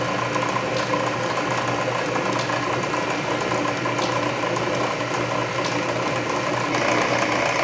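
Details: Canedy Otto drill press at low speed drilling a large hole under power feed; main drive belt slightly loose but masked by gear reduction torque; slow steady gear drone, ratchet click about every half second — normal.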